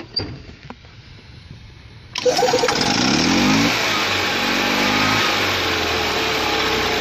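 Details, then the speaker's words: 2002 EZGO TXT with Robin 295 engine converted to Speeduino fuel injection (carburetor now a throttle body), in neutral: cranks, catches after two seconds, then runs even and a little throatier thanks to adjustable timing, revving cleanly; healthy. "you probably notice it's got a little more throat sound to it and it's because we can adjust the timing now"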